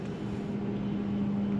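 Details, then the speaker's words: Hyster hydrogen fuel-cell reach truck raising its load, fan and fuel-cell cooling also audible: smooth steady electric pump whine at constant pitch; hydraulic pump running normally. "Right now you can hear the fan and the cooling in the fuel cell, but you'll hear the hydraulic pump running"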